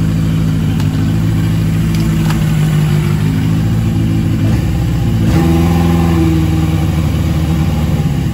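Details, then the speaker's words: Yamaha XJ750 after Seafoam soak in carb bowls and tank for a day (previously ran only on starter fluid), idle screw adjusted: steady even run, picks up cleanly on blip, returns smoothly, no stumbling or popping. "seafoam for the wind sea foam heck yeah man that sounds great especially before it wasn't even running i started right up"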